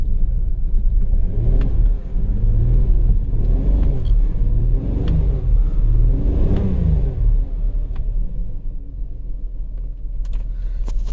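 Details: 2008 Volkswagen Passat 3.6 GDI with low battery, jump-started, codes P0087 fuel rail pressure too low and P2296 regulator valve N276 short to plus: revs in short, uneven stumbling bursts, runs rough, misfires, poor acceleration, extended crank, from low fuel pressure.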